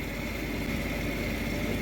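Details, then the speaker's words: Payne furnace draft inducer after motor replacement, old motor had made a chopsaw-like noise; steady even hum with no chopping or rattling, sounds way better than old motor, furnace then lit; normal. "oh okay that sounds way better than the old motor"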